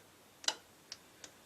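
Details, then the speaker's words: Old B&O Beocentre 2200 cassette deck being tested with an old tape. Pressing rewind gives only a few sharp, uneven clicks with no motor or spooling sound: rewind is not engaging. "don't seem to want to rewind try fast-forward you can hear the Machine"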